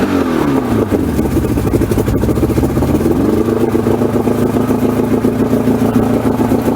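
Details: 1994 Suzuki 115 two-stroke outboard that had stalled and wouldn't run, after Sea Foam treatment, reassembled with cowls on, started without air assistance. Catches and revs up, then holds a steady even two-stroke buzz with no misses or stumbles; normal running.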